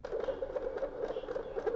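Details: Used PS4 Slim whose disc drive made a strange noise and would not accept discs; fast, uneven mid-pitched pattering from the drive at power-on; the cable to the power/eject button was found disconnected and reconnected.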